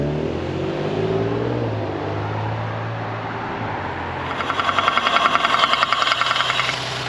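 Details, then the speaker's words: Audi S4 B9 3.0T V6: uneven running with fast sharp ticking as revs rise; unhealthy, cause unknown, high compression on cylinder two suspected. "I don't want to keep it running for too long because obviously it's not really healthy I'm just gonna switch it off"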